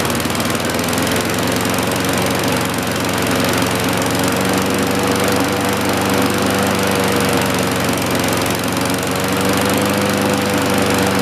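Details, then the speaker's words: 1960-70s John Deere push mower saved from scrap, single-cylinder engine just started before an oil change: buzzing along at an even speed with no stumbles or surging; runs steadily and healthy. "awesome we're gonna let it run for a while then we'll change the"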